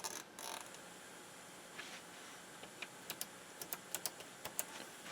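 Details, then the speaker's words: Soundesign 5954 all-in-one stereo in tape mode after repair: faint steady hiss with a few light clicks and no more oscillation or howl; normal amplifier background noise. "now here's the tape no more oscillation you can hear the amplifier"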